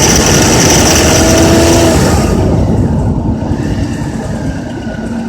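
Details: Honda Accord with K24Z3 engine revving through 2200–3000 rpm: light, fairly regular metallic rattle riding over the engine, fading as revs drop; cause not identified.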